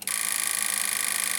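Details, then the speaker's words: Kenwood R-5000 receiver, previously dead, powered from a bench supply with current limit set too low: harsh fizzing buzz over a steady low hum instead of clean audio; distortion from insufficient supply current, radio otherwise working. "yes so that was simply because we had not enough power and you see our radio is obviously working so far"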